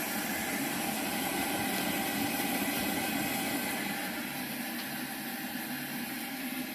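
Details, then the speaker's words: Circa-1925 Coleman No. 2 camp stove and oven, fully warmed up with a bright blue flame: a steady, even roaring hiss with no sputter or surging. Normal burner operation. "You can see the flame now, everything's good and warm, how bright and blue that is."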